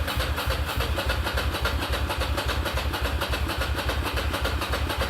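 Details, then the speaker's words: Ducati Monster 695 café racer after rewiring and new ignition coils/HT leads, fuel tank previously drained: rapid even starter churn, three or four turns a second, never catching; cranks without starting, owner suspects low fuel, possibly low battery. "oh i feel a low battery coming on maybe a requirement for more gas additional petroleum required"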